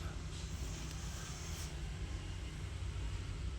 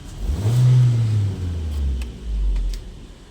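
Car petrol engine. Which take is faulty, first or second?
first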